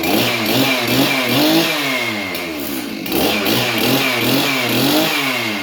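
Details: Stihl MS311 chainsaw, bar and chain removed, first start after a coil replacement for a no-start: raspy two-stroke buzz holds a steady note and swells as the throttle opens, with no misfire or stumble; the saw now runs properly.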